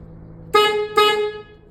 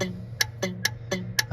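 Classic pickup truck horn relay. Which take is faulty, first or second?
second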